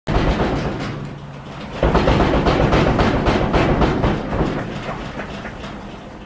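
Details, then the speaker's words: Whirlpool-type vertical modular top-load washer (also sold as Kenmore, Amana, Maytag) bangs hard about four times a second during the spin cycle because its worn tub suspension rods need replacing. "If your washing machine is banging like this, chances are good it's a vertical modular type machine."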